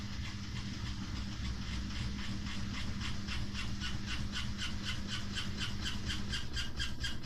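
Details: Samsung WW5300 washing machine (WW95T534CAE), outlet unit on its second use, loud from the start: rhythmic swishing bursts quickening to about three per second over a steady motor drone, abnormally loud, cause unclear.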